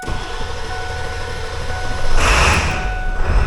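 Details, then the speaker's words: Ford F250 7.3 Powerstroke diesel after two starters, a solenoid and new injector driver module, glow plugs suspected not working, easy start sprayed: steady cranking then catches about two seconds in and settles into firm rumble; clean start. "Whoa! Whoa, whoa, whoa, whoa, whoa, whoa, whoa! She's away! Oh, ho, ho, ho, ho. She is away."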